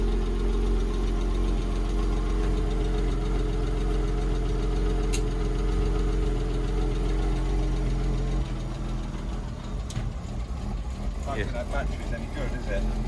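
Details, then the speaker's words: A Porsche Boxster that sat unused for a couple of years, on its first cold start, warming up at idle. Light regular ticking, about three a second, sounds tappy; the owner suspects it is from sitting long and the cold start. Cause unconfirmed. "well that works yeah oh that's andy a little bit tappy sat a long time"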